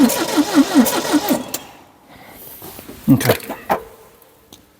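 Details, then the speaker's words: 1972 Triumph Dolomite 1850 barn find, unused 34 years, choke seized: starter churns steadily and the engine coughs once or twice without catching. Owner concludes it is a fuelling issue. Cranks but will not start. "okay okay so we definitely got a fueling issue we definitely have a fueling issue which is good but guys what do you think it's it seems to be try to start"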